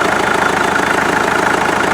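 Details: Rebuilt 1947 Farmall MD diesel tractor idling outside after its rebuild (injection pump seals, new fuel filters, lines blown out, new water jacket gaskets). Steady, even chug with a consistent beat and no knocks or misses; running smoothly.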